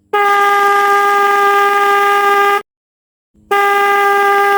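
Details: Car/bike electric horn tested on the bench: two loud, steady blasts with a clear fixed pitch and a short gap; the horn vibrates and works properly.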